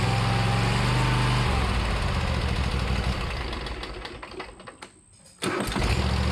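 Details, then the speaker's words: Riding mower unused about six months, fitted with new starter and battery: steady low beat, fades and goes quiet, then catches again promptly and settles into an even run; healthy start. "New starter and battery. It's a whole lot better."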